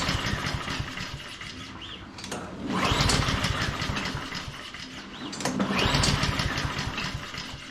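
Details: Honda HRN216 lawn mower, one season old and run on non-ethanol gas, fuel valve on: two pull-cord cranks give a chugging whir that fades with no firing. It turns over but won't start; a carburetor fault is suspected, not confirmed.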